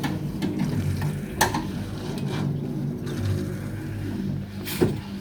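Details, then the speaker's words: Ravenheat 85CSI boiler after adding leak sealer and repressurising: a low bubbling gurgle with sputters over the boiler hum as trapped air is expelled through the automatic air vent on top, lasting a short while. "So that's the air getting expelled from the automatic air vent on the top up there. That's what you can hear."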